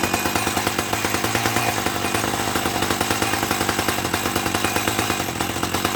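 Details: 1984 Dolmar 100 two-stroke chainsaw, warm, after repairing its snapped throttle linkage: a steady, fast buzzing note holding even revs with no misses or surging, running normally.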